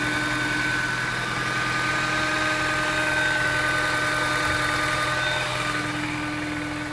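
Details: Mini Cooper S idling with the check engine light on: a thin constant whine sits above the engine note, source unclear; abnormal engine noise.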